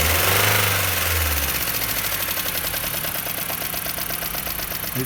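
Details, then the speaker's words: Jeep Patriot 2.4 at idle, knocking for about 1000 km despite oil change and flush: fast, fairly even valve-train ticking knock, about three per second. Exhaust valve clearances 0.30–0.55 mm; heavily worn, scored camshaft and head. "Автомобиль Jeep Patriot 2.4 застучал двигатель."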